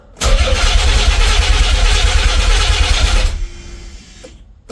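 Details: Nissan 300ZX twin turbo, not run in 12 years, battery just recharged: the starter spins the engine briskly and evenly for about three seconds but it never fires; crank no start.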